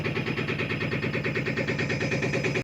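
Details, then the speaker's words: Bosch 7 kg front-load washing machine on spin: fast rhythmic scraping each drum turn, smoke rising, as the drum rubs the rubber door gasket because the rear spider arm is broken; fix is replacing the spider arm or drum. "இது run ஆகுறப்பே தெரியும். மேல பாத்தீங்கன்னா smoke வந்துட்டு இருக்கு பாத்தீங்களா இது வந்து rubber கேஸ்கெட்டோட drum உரசுறதுனால வர"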